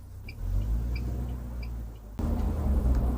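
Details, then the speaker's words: UAZ Patriot with automatic gearbox, cabin on the move after about 300 km including 50 km of gravel: only steady road rumble and tyre hum, no creak from the rear door since the heel rest pad fix. "Тишина. Ничего не скрипит и не издает шума. В машине тихо и спокойно ."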